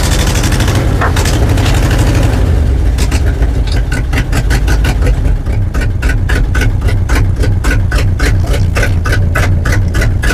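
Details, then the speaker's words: 1970 GMC 2500 3/4-ton truck, first start after long storage, with the choke opening and oil added to a cylinder smoking: heavy, uneven chugging with irregular ticking, like an old tractor. Loudness may be exhaust or vacuum leaks. "Well, it sounds like an old tractor, but still run. The louder could just be exhaust or maybe a few vacuum leaks like that one. But she runs."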